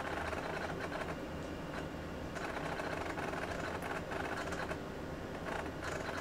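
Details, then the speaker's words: Real physical MiniScribe hard drive in an AT&T Unix PC (7300) during bootup: fast, irregular loud clunky ticking of heads seeking over a steady drive whir in a quiet room; normal seek noise for this old drive. "you can hear what sounds like a real hard drive because well it is a real hard drive this is not one of the emulated hard drives that I'm using here this is actually a real physical mini scribe the good old loud ones listen to that clunky clunky clunk"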